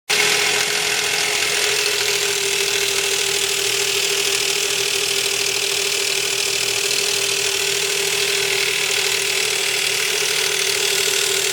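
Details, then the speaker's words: 2005 Nissan Quest 3.5 idling with a loud, constant metallic clatter and hiss: timing chain slapping because the broken tensioner guide slid down and the plunger now pushes on its metal backing. "the chain is the chain is making a tremendous amount of noise because of the way that tensioner is writing"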